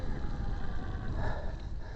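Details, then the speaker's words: To7 DM02 e-bike mid-drive motor while pedalling downhill: low, steady thrumming drone with some whine on top at low drive torque; owner suspects a controller/firmware byproduct rather than motor or bearing fault, unconfirmed. "and that's getting less so there's the thrumming with a little bit of winning override because the rolling speed going down this bit of Hill means that there's not the torque on the drive or whatever and so you get that bit of a winning"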